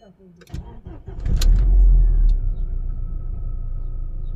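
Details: Volkswagen Passat B5 that would not start, after replacing the faulty ECU and transferring the immobilizer: brief cranking, catches in about one and a half seconds, then smooth steady idle with no misses; fault was the ECU.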